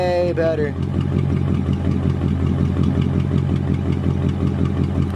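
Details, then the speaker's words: 1999 Mercedes E55 AMG V8 idling with a steady, even deep rumble, cold start, after new spark plugs on cylinders five and seven to cure a misfire and check engine light; sounds way better, owner still suspects coil packs. "that sounds way better compared to how it's been sounding we might have just fixed our [ __ ] spark plugs with just a $40 purchase"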